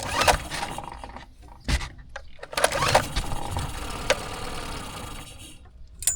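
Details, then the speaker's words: Tohatsu 9.8 hp 4-stroke outboard, transom-mounted on a 1981 Cape Dory 28, electric start in neutral after the carburetor is drained: cranks, catches in uneven bursts, runs rough a second, then dies. "Come on. So, you see it runs for a second there. ran for a second there."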